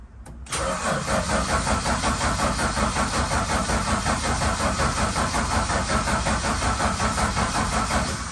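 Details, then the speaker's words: Valiant Charger VH under restoration: steady rhythmic cranking about 2.5 turns a second for about eight seconds without catching; hard starting, suspected running out of fuel. "that sounded like it was running out of fuel again"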